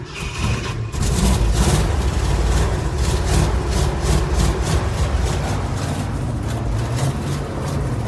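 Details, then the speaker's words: Ford F100 cold start after sitting about 3 months over winter, not preheated, fired with a shot of gas and running off the tank: a deep rumble settling into a fairly even low idle, running fine. "think it's already running off the tank. It's already idling."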